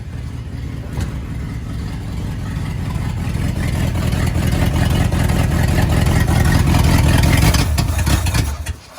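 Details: 1954 Buick Roadmaster, 322 Nailhead V8, sat 10+ years: deep V8 catches and builds to a rough, rising run, then is shut off; starts after long storage, no clear fault heard.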